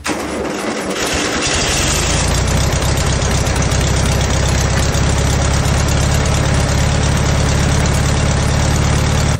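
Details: VW Beetle engine in an ATVW junkyard motorcycle build: engine catches and settles into an uneven, loping idle with a beat dropping out; cylinder four misfiring from a fouled spark plug.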